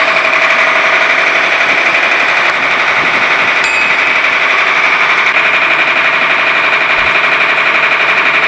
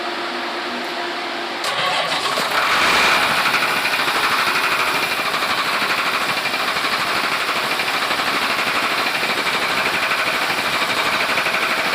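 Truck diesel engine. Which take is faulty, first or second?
second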